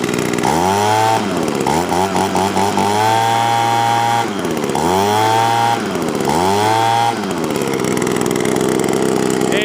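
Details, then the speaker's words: 20-year-old Sears Craftsman box-style leaf blower, hot engine: revs cleanly to a high steady scream and back down several times, no misfire or stumble, normal full-throttle running. "Okay, got it fired up, ready to go. Get a better focus here now. Give some gas here."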